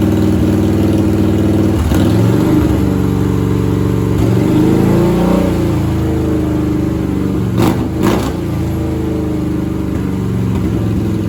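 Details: 1997 Harley-Davidson Heritage Softail Classic, 80-inch Evo V-twin, just fitted with an S&S Super E carburetor; sits at a fast, busy idle revving freely: high idle because the carb idle screw was about half a turn too high.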